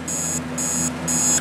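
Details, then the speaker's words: Vintage alarm clock with dirty switches: high thin electronic beeping in bursts about every half second, quieter than it should be; suspected cause is the price sticker covering the beeper, not confirmed. "whether you can hear it it's not all that loud but I think that the reason is known all that loud is because the beeper is being covered up by the price sticker"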